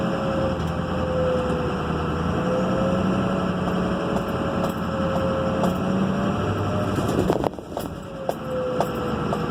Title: Turbo whine